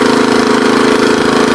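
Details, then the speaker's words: Troy-Bilt tiller with Tecumseh engine, revived after sitting, old fuel drained: small single-cylinder fires in a fast, even, steady beat with no misses or knocks, running healthy. "I don't really got any dirt to rototill, but at least it runs halfway decent, so."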